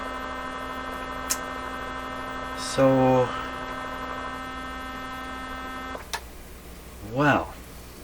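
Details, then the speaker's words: 1957 Chevy Wonderbar car radio on first battery power-up: loud steady low harsh buzz from the speaker, possibly the vibrator; cause not yet known. "if i can hear something buzzing over here tell me that's not tell me that's still a vibrator in there oh my gosh well that sounds like a viper i don't know is that coming out of the speaker"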